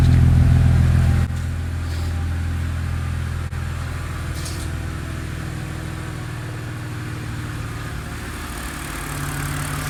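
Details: BMW E90/E92 with stutter and rough idle, after the VANOS exhaust solenoid was cleaned and reinstalled, ignition coils checked good: low, even idle with a smooth steady hum, no stumbles or misses; normal idle.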